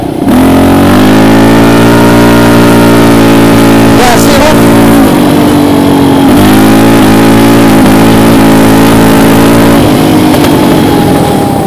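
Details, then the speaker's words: Raptor 700 ATV ridden in third/fourth gear at about three-quarters throttle: held high revs with brief sharp exhaust-note drops like a rev limiter; cutting out under throttle, owner testing whether the clutch switch is involved. "it would get to maybe three quarters throttle and it would start going like kind of cutting out as if it was on a rev limit"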